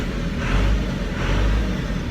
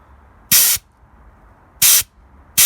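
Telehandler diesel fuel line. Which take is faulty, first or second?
second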